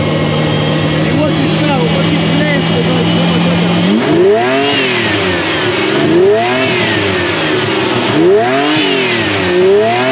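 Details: Ferrari (Ratarossa) just after fitting a belt, with the battery warning light now out: steady smooth idle, then quick clean blips, belt drive quiet. Belt seen bouncing slightly, to be tightened. Normal running.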